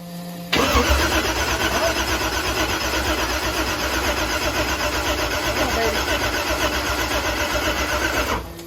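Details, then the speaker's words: Chevrolet Blazer with Texas Speed supercharged engine on methanol, first start attempt: fast even cranking around four beats a second under loud blower whir, never catching; ECU shows no RPM signal, crank trigger not syncing, so no ignition. "It's syncing and stalling. Oh, it is. No RPM."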